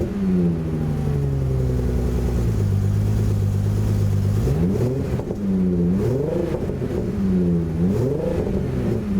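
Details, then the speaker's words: Aston Martin DB7 5.9 V12 with optional exhaust fitted, before fuel tank removal: revs swing up and down but sound lumpy and uneven, like a V10 with cylinders dropping out; misfire from fuel supply fault, bad for the injection system. "La sonorité de ce V12 libérée grâce à la pose de l'échappement optionnel récupéré dans le sud. Là vous entendez bien le V12 qui commence à muer en V10."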